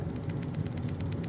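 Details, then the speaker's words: Kirby G3 vacuum transmission during refurbishment, dry ungreased gear spun by hand near microphone; rapid clacky ticking about eight or nine a second, compared against quiet greased unit. Dry gear rattle. "rattle and this is kind of just clacky as you know it spins hopefully you could hear that"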